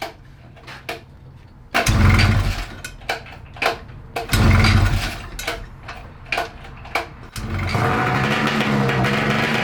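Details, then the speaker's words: 1994 Ski-Doo Mach 1 670cc 125hp two-stroke go-kart: cranking and catching, then sustained fast raised idle; suspected throttle cable tension keeping carb slides from coming fully down; nicked fuel line leaking. "i believe that the idle was so high because the cable had a little bit of tension on it not in the loud not allowing the slides to come all the way down"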